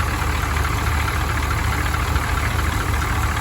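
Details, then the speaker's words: Engine sitting since 2022, started with starting fluid: even, low steady idle with no misses, knocks or ticks; runs smoothly and sounds healthy. "Smooth as silk, been abused all the time."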